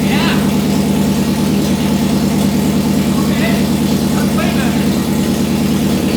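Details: Nissan S13 after full engine rebuild, distributor timing adjusted: catches and settles into steady even idle with no knocks, ticks or misses; normal idle, front timing cover oil leak noted.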